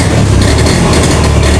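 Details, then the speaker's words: Honda Beat FI automatic scooter, engine revved: rough, uneven, stumbling note with MIL blinking; misfire caused by the crankshaft position (CKP) sensor or its wiring, which triggers blinking when moved. "merebet Pak merebet pasti muncul ke depipan Pak tuh oke dua tiga empat lima s oke Ini jelas masalahnya dari sensor ckp ataupun dari jalurupun perkabelannya"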